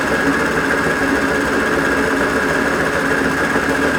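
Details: Mini lathe with a new ELS conversion: spindle encoder and Z-axis stepper fitted to the lead screw, gearbox and banjo removed. Spindle runs near 938–943 rpm with a steady mid-pitched motor hum and a faint higher whine, no knocking or grinding; normal running.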